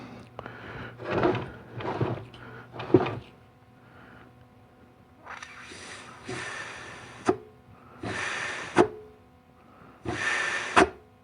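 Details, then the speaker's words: Air check of the 3-4 and forward clutches in a 700R4 transmission from a 1991 Camaro Z28 during teardown: short air blasts, each ending in a firm clunk as the clutch applies, holding tight with no leak hiss; healthy. "Okay, 3.4 sounds really good and tight. This is your forward. That sounds good."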